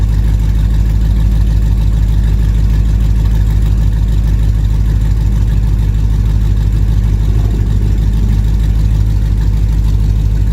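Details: Dodge Challenger R/T 5.7 V8 at first start after installing BBK long-tube headers, revving: deep, loud rumble with a sharp ticking puff on each firing pulse; exhaust leak at the header clamps, clamps to be fixed.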